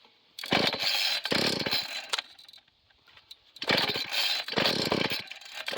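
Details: Small two-stroke garden rototiller that starts but won't run without choke and has no power on half choke: ragged surging revs that sag and nearly die; owner suspects a 50:1 fuel mix instead of 40:1.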